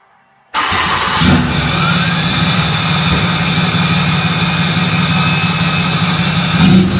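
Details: 6.7 Cummins Dodge Ram just after FASS fuel system install and priming with key cycles: quick crank and immediate catch, then steady even diesel idle with no stumble or misses; normal start and idle.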